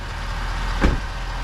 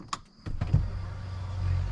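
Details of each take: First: 2021 Ford F250 6.7 Powerstroke diesel after replacing both fuel filters and priming: deep even rumble with one brief thump as it settles; steady idle, no stumble, running normally. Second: 2021 Ford F250 6.7 Powerstroke priming after changing the fuel filter, key cycled: lift pump gives a low, uneven rough hum as trapped air works out of the filter housing, then settles; air in fuel system during priming.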